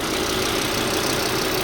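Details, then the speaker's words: Volvo S60 five-cylinder turbo, after repairs: steady, even idle like a smooth sewing-machine hum, no misses, stumbles or ticks, no smoke; running properly. "oh listen to that purr five cylinder turbo charged nice and smooth too no smoke no nothing"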